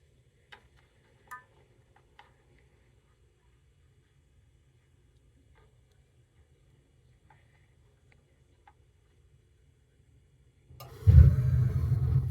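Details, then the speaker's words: Natural gas water heater after pilot lit and knob turned between low and hot: quiet room with faint ticks, then soft whoosh into steady low roar as main burner lights; normal burner ignition. "and that is the ignition of the flame so when once you hear that the uh the gas heater is working"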